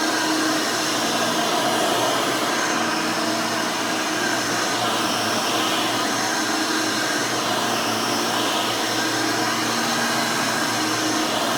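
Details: Rebuilt Hoover Elite 600 upright vacuum with new 7 amp motor and 20-blade fan running; smooth steady motor whine with constant airflow rush, no rattles, surging or bearing grind; fairly quiet, like the original 6 amp, healthy.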